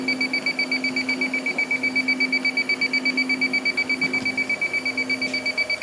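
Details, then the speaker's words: Walk-in cooler with a refrigerant leak, bad compressor and burnt wires, under nitrogen with the fans off. An electronic leak detector beeps fast and steady, about 160 a minute, alarming near the evaporator coil; the room is probably too contaminated to pinpoint the leak. "so contaminated obviously the door open oh yeah look at that she's going nuts up here in the coil area yeah that's not good"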